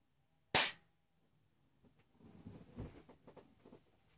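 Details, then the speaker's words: Boost control solenoid bench test with MityVac pressurized over 30 psi: one quick sharp hiss as the solenoid vents, gauge back to zero, solenoid working properly. "i could hear the hiss clearly into the car and i will show you that the gauge is back to zero"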